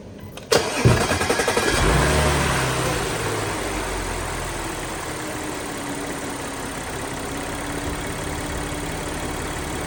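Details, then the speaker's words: Audi B8.5 S4 3.0T supercharged V6, 6-speed manual, stock intake before CTS Turbo intake install: cranks, catches, flares and settles into an even, steady idle with no knocks; healthy. "So let me start it up and show you guys what stock sounds like."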